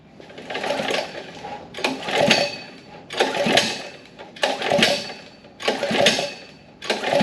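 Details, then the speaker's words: Long-stored 79cc small engine on a gas Power Wheel build, recoil-start attempts: six ratchety pulls about every 1.25 seconds with no firing; turns over but won't catch, later found fuel in bowl but no spark. "nothing so far nothing at all"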